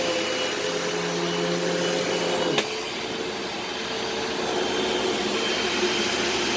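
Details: Eureka SmartVac 4870 upright vacuum rebuilt from two broken machines, on high-carpet setting: even motor whine and airflow hiss, then switched off with a fairly long wind-down; normal running, though the belt seems to slip slightly.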